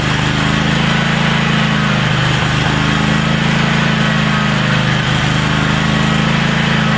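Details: DR brush hog small single-cylinder engine started in neutral after carburetor clean-out (main bleed jet cleaned); strong, even low drone with no stumbles or surging, steady healthy running.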